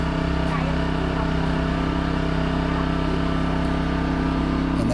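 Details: New 2200 W generator powering a 5000 BTU air conditioner: steady, even engine hum at constant pitch under load, no surging or hunting; running healthy.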